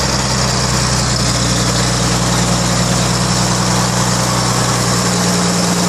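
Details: Rebuilt 1933 Chevrolet straight-six (5.6:1 compression, 74 hp @ 3200 rpm), first run in over 60 years: steady, smooth low idle with no knocks or misses. Normal idle.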